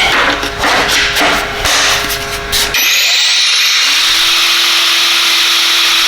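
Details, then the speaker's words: Knockoff "Makita" 18V brushless cordless grinder on a brand-new battery, cutting under load: it rasps steadily without bogging, then whines smoothly back to full speed; it is happy as long as speed stays up. "battery as long as it stays up at that speed it's pretty happy so i guess it's it's what you expect"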